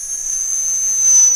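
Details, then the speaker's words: Castle Creations Cobra 10A ESC bench test with unloaded brushless outrunner: steady piercing high whine with light hiss, probably about 20-24 kHz switching plus commutation frequency; normal, far quieter than older Castle controllers. "and then the rest of what we hear is going to be commutation frequency so far far quieter than other Castle controllers it's still going to make a lot of"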